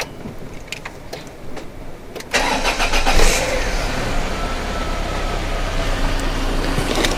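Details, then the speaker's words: 1994 Volvo 480 2.0 after exhaust refit with sealing paste, started to warm the exhaust: brief crank, catches cleanly into steady, even idle with no misfire; normal start, exhaust gas still felt leaking at an untightened joint. "okay that's it start up and running"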